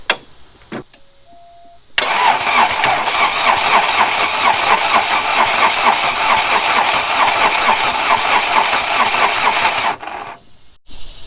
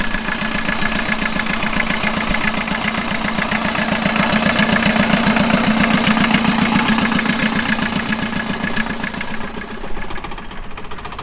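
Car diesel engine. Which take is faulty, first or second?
first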